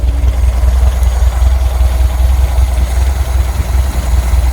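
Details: VW Brasília air-cooled engine with a newly fitted Chinese Hall-sensor electronic ignition distributor replacing points: low, even, steady idle around 600 rpm with no misses or knocks, cold and not warmed up, before timing adjustment.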